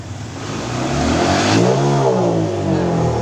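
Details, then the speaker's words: Honda PCX 150, no DTC or dash warning: revs climb smoothly from low to mid, then stumble and roughen near 10,000 rpm with power loss, easing when throttle is backed off slightly; high-rpm misfire, cause unknown. "Kita lepas gas sedikit dia sembuh. Jadi di RPM 10.000 dia ngorok."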